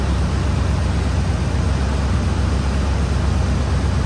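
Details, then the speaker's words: 2005 Ford Explorer 4.6 L V8 idling right after EGR replacement, listened to for a reported vacuum leak: deep steady even rumble, no hiss or whistle; normal idle, no vacuum leak heard. "there sounds pretty good to me"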